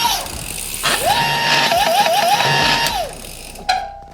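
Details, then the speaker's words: Hub-motor e-bike after a controller and display upgrade, in assist level 5: mid-pitched electric whine that rises, wavers and drops as the motor starts to resist, suggesting strain at top setting; not confirmed. "En 5e, le moteur commence à résister. Le moteur fait du"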